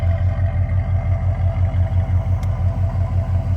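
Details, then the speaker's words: Cadillac Brougham with new muffler, fitted after a timing issue blew the old one apart, idling: steady low burble about three pulses a second, even, no rasp or blowing; normal exhaust note. "that's the new muffler you can hear after we blew it apart that timing issue let's get close oh that sounds like fun times"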